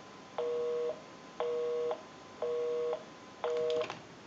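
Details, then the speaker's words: Repaired and converted single slot payphone on final checkout, heard via amplified pickup, calling the repairer's own number: four even two-tone bursts, half a second on and off; normal busy signal. "We'll call my number, and it'll be busy. Give you some dial tone. And we'll make that call."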